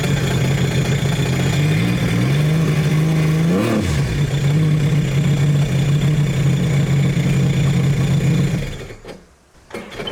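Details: Rebuilt 300hp supercharged 12ft aluminum mini jet boat, new jet nozzle, on the water; engine catches, one quick blip, steady even idle without knocks, then shuts off; normal start and idle, now idles off trailer.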